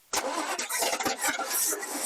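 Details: 1941 Chevy truck sitting 50+ years, restarted with gas poured into the carburetor after fixing a missing throttle return spring and checking the oil: short crank, then it catches straight away and settles into a running idle; starts cleanly.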